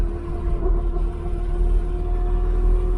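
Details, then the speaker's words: Mk3 Cortina cruising with steady mid-pitched howl over road rumble from a very noisy worn rear axle, worse after replacing the worn 1600 propshaft, which cured the take-off wobble; axle still needs fixing. "All I've got to do now is get the axle fixed. As you can hear, it's very noisy. The noisiest one I've ever heard."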